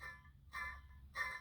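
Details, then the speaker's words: Old Ford Taurus water pump spun by hand on the bench: short whirring, humming bursts from shot bearings, still working when removed; a new pump spins without this noise. "that's what that honing sound that's the bearing"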